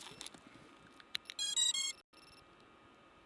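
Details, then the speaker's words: FPV drone just landed with critically low, cold battery: after the battery is unplugged, a short quick tune of high, clean electronic beeps (about three) sounds, then quiet. Normal disconnect beeper. "can hear that beeper that's how you turn it off you wait until you hear like three beeps"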